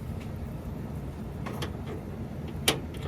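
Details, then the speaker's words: 1990 Ford F150 that won't crank, positive jumped directly to starter solenoid terminal: single sharp metallic click over a low hum with no cranking; faulty starter solenoid suspected; starter solenoid clicks but engine does not crank. "so you hear that that clicking Sam he said if it clicked like that then it was the starter solenoid that's messed up"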